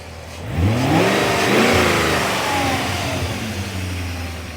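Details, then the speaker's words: Quick blip on a 1995 BMW E34 540i/6 with HE53 M60 V8 rises cleanly and falls back to a smooth, quiet idle with no ticks or tapping; a well-maintained, really nice running M60, normal running. "there's the engine I mean smooth and quiet like there is absolutely no ticks like this this is a really nice running M60"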